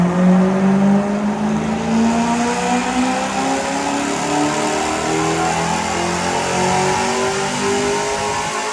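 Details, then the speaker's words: BMW E90 M3 supercharged, rebuilt after 2023 engine failure, on dyno runs: pitch climbs smoothly and steadily through the revs under load, no knocks or misses; healthy engine. "keep going up and up it sounds so good there's nothing better than this"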